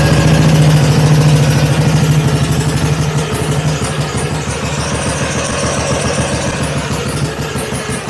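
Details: BSA Gold Star big single on first start, cold garage, choke on, oil pump circulating: slow even thumps about three a second, settling as it warms, runs cleanly, normal idle.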